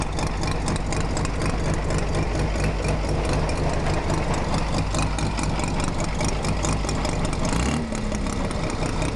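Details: Mazda RX-7 FC with bridgeported rotary engine at idle: rough, lopey idle with sharp light ticks about twice a second across the top. Source of the clicking unknown.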